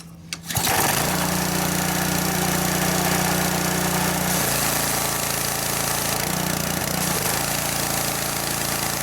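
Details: Simpson 3300 (2.4 gpm) pressure washer with Honda engine, just fitted with a new OEM water pump: steady even engine drone with pump humming smoothly under load; normal running, no leaks after several minutes.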